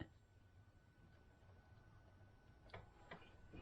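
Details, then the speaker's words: 2013 CFMOTO Z6 during fuel pump troubleshooting after relay corrosion cleanup, power cutting out after about five seconds, suspected short: faint sharp clicks about half a second apart in a quiet room; fuel injector clicking, opening and working. "if i hear the fuel injector i hearing the fuel injector pop okay i'm gonna play with that"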